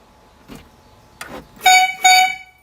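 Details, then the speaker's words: Golf cart under repair after a rollover, with a light switch fault: two short, high, thin squeaky toy-like honks about half a second each, like a clown car; abnormal horn sound, cause unclear. "That sounds like [ __ ] We can call it the funny car. Yeah, definitely sounds like a clown car."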